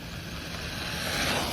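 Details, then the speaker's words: Traxxas Bandit VXL RC car on a stock Velineon ESC, at full throttle around 63 mph: a brief high, hissy chirp swells over the drive whine; owner suspects a motor or ESC problem under load. "sounds like something's wrong with the motor like I was Full Throttle and it was making that weird chirping noise"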